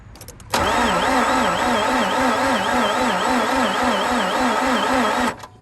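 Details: 2004 Mazda RX8 manual, a barn find not started in two years, cranked after sitting all night with the gas pedal down: a steady starter whir with an even rise and fall, about two pulses a second, and it never fires. Alternator pulley not spinning. Cranking no-start.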